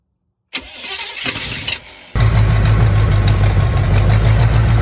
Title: Sbc knocking noise on startup? #squarebodynation